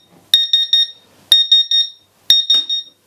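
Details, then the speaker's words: Laser cutter water chiller alarming: shrill beeps in sets of three about once a second; internal 24 V power supply measured near zero volts output and is dead. "yeah this power supply i think is toast"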